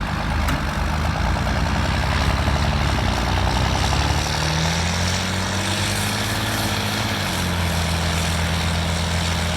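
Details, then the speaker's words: International IH 986 tractor, low rising and falling whine, screaming and vibrating whenever the tractor moves, even in neutral or with the clutch in; caused by a dragging park pawl rubbing a transmission gear. "it was whining or Screaming vibrating whatever you want to call it really bad anytime the tractor would move"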